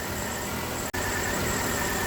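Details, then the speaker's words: Nissan Altima 2.5 (2010 listed, owner thought about 2008) idling below 1000 rpm. Low, uneven, stumbling beat under a steady hum that worsens at idle. Arcing coils suspected; ignition misfire at idle. "on our bad that camera was vibrating it's really starting to miss now"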